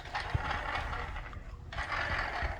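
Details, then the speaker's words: Traxxas Summit converted to a 4076 brushless sensorless motor with a 120A ESC, rolled back and forth by hand to check the gear mesh, which has slight play. A light ratcheting whir with no grinding or skipping: normal gear mesh. "roll it back and forth to hear the gear mesh. It should be alright. I got a little tiny bit of play in there."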